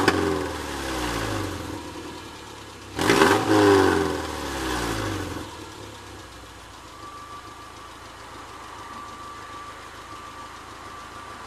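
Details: Subaru petrol engine idling, then blipped three times: loud raspy exhaust note from a massive tear in the rear silencer (backbox).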